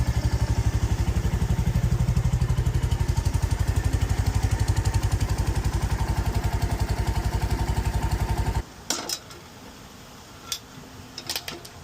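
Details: 2023 Royal Enfield Meteor 350 single after valve lash adjustment, which the owner thinks sounds better: steady, unhurried thump at about four beats per second, no loose top-end ticking; settles cleanly before shutting off.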